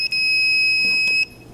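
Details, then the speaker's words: Insulation tester checking a laparoscopic electrosurgical instrument shaft while moving slowly along it: a loud, steady high-pitched alarm tone holds about a second, then cuts off, flagging an insulation defect on the shaft. "because as you can hear and you can see by the alarm it's going off you want to go slow all the way down the shaft to the proximal end"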